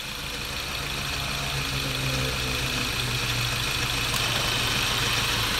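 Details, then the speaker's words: 2015 Ford Ranger at idle with the AC on, after replacing a compressor magnetic clutch pulley assembly whose bearing was destroyed, and topping up freon: an even airy hiss with no grinding or rattle. Normal, quiet compressor clutch. "Yun. So good na, wala nang ingay."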